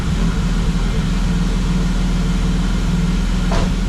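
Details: BMW E36 that keeps dying at idle, after PCV replacement and battery disconnect, run with the MAF disconnected: low, heavy idle with an uneven, lumpy beat, no steady settle, close to stalling; owner suspects the MAF; rough idle.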